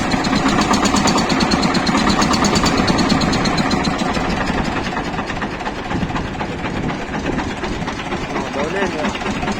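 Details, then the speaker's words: Shifeng SF 138-2 single-cylinder diesel at idle, previously knocking, after a roughly 1 mm gasket cut from a canister was placed under the fuel injection pump: even, steady chug with no knock; runs much softer. "просто подложил и всё двигатель совсем по-другому стал работать и мягче"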